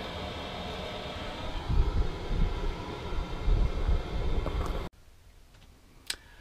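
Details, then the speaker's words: Chinese diesel air heater in a motorhome after a 50-minute test run near maximum output, turned down to 4 Hz and shut off; a low even fan rumble continues about five seconds then cuts off cleanly, a normal cool-down and shutdown. "Okay, the heater has turned itself off, so it's run through its cool down cycle and switched off."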